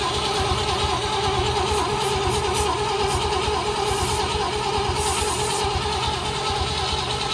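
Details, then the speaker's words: Project car that hasn't run for an unknown time, cranking with the ignition coil manually fed 12 volts. The starter churns steadily but it never fires; no spark, and a wiring polarity mistake is questioned. "Wow. It's not firing. Are we sure we got positive and negative on there properly?"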